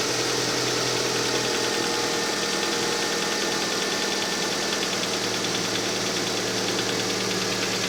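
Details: Engine cold: steady idle with a fine, fast ticking knock riding over a busy hum; cold-start engine knock, cause not pinned down.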